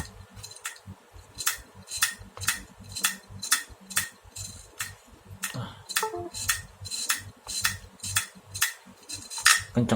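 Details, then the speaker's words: Acer Aspire One D255 laptop hard drive, not detected and won't boot; loud, unevenly spaced clicks about twice a second with no smooth spinning. Failed hard drive head clicking, to be replaced. "Kencang banget bunyinya. Ini udah fix harddisknya rusak, soalnya nggak kedetek di ini."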